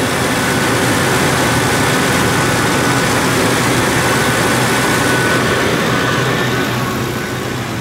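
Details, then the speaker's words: Ford 2-valve 4.6 V8 just after new Dorman intake manifold install, freshly started cold, full of coolant: stumbled briefly at first start, firing order correct; now steady even V8 idle, no stumble or misfire, running way better. "She stumbled a little bit when I first fired her up, but I got the firing order right per the diagram I went by."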